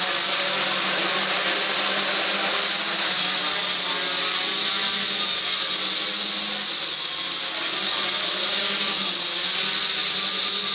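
Steady high-pitched whine from the motors throughout the flight with no low end, and a thin tone on top: the motor bearings are worn.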